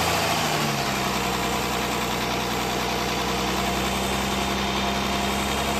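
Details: Jaguar S-Type 2.7 diesel idling steadily with a low, faint knock under the clatter; owner suspects a bottom-end knock or spun bearings, unconfirmed.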